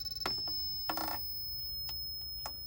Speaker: it's actually coming from the charge controller itself this is the harbor freight 500 watt uh pwm charge controller